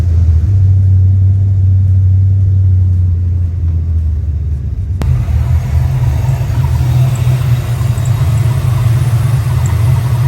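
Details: Crusty Ford 5.0 HO V8 at idle after cleaning corrosion: deep low rumble with an uneven loping beat that never settles; still running rough, no better, plugs to be changed next.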